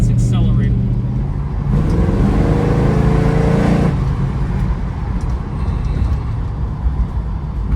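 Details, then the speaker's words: Restored 1970 Dodge Challenger R/T convertible V8, good temperature and oil pressure, rear mufflers: deep, smooth exhaust climbing cleanly under acceleration then settling, no misfire or knock; normal. "uh this one's actually kind of deep it's got a nice B though very smooth um like I said good temperature good oil pressure"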